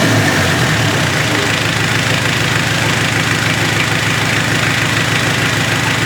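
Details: Mitsubishi Triton 4M40 diesel engine after overhaul: even diesel clatter at steady idle, firing regular with no knock, miss or rattle; healthy normal idle.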